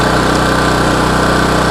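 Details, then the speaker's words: Budget small power generator, no sound deadening, about to power a 1000 W power tool: steady, even buzzy hum at fixed speed with no misses or knocks; running normally, louder than the owner's 4,200 W and 2,300 W generators. "Itong mic ko, wala naman po siyang sound deadening. Kumbaga, wala naman siyang yung pampaalis ng ingay. So, maririnig nyo po talaga yung ingay niya, mga kaibigan."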